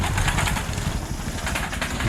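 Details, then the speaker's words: Bajaj Pulsar 220 descending a steep, rough volcano-rim road: irregular low thumps and rattling bursts over a lumpy engine note as the loose front fender, tied on with zip ties, hits the tire. "Il y a ce... bruit qui se produit lorsque l'aile avant heurte le pneu. Ouais."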